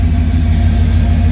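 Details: 1991 GMC truck, hot after test drive following fuel filter change, recorded underneath at exhaust: even low V8 idle burble, steady pulse, no leaks, misses or ticks; owner suspects rust in the gas.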